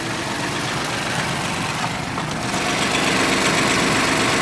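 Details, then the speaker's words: Ford F-150 with about 104,000 km, warm at idle: light steady tap about four per second, louder on one side; was much louder before and goes away when warm, owner suspects a valve, possibly hydraulic lifters. "there's a bit of tapping. I would kind of imagine these would have a hydraulic valve adjustment on them."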